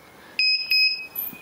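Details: Edecoa 2500 W pure sine wave inverter on a battery at about 12.4–12.6 V on thin wiring: two sharp high quarter-second beeps, an alarm under load, likely from undersized supply cables.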